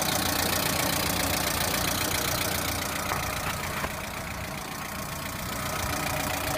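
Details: Lada Priora engine at idle: even, fairly crisp tapping nearly four per second, holding steady; internal engine knock, source unknown.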